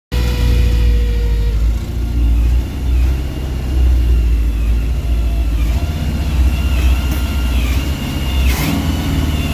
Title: 1985 gmc sierra C2500 running but has a vacuum leak fixed in the middle of the short